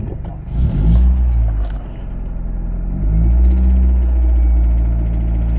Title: 2000 Mitsubishi Eclipse strange engine sound